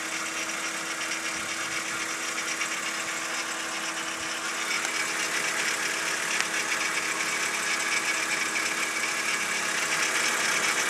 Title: BMW E46 rattling noise 2